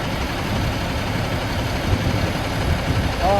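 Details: 2000 Stewart & Stevenson M1085A1 5-ton military diesel just started after adding fuel and repriming. Steady even idle clatter, no knocks or misses, rising whistle near the end; good oil pressure, no warning lights.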